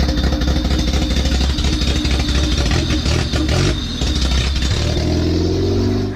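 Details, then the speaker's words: First start after DPFI-to-MPFI fuel injection conversion: catches without hesitation, no check engine light, loud steady deep idle with open-exhaust rasp, no stumble or misfire. "Car turned on. No hesitation, which is good."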